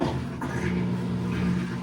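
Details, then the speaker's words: Whirlpool washer drain pump run in test mode: steady, smooth low hum of the small pump motor while it clears a little leftover water, just as it's supposed to sound; normal drain pump operation. "Actually pumping a little bit of water that was left in there. And that's what it's supposed to sound like."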